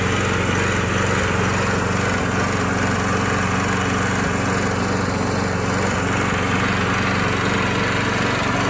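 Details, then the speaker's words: Old Craftsman lawn mower after refurbishment: steady buzzing engine holding even speed, no misses, knocks or surging; running normally. "And I will say, it might look not really like the best, most clean lawnmower in the world, but it definitely sounds okay."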